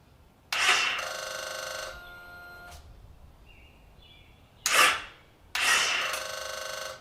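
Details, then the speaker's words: Victory Magnum motorcycle under rebuild: harsh rapid buzzing solenoid chatter in roughly one-second bursts at each starter press, no cranking; battery just died and voltage is below the 12 volts needed to start. "don't have quite enough voltage to get this thing started we need 12 volts at least"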